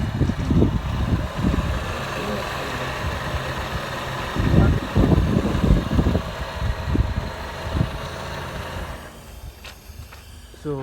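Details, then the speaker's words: Honda CR-V, engine running, steering wheel turned: uneven groaning rattle that swells with steering; pump is breathing air, which foams the fluid. Power steering pump noise from aerated fluid. "So this behavior is coming out from because it's breathing air in here. So when it's breathing air, it creates foam from here that's coming forward"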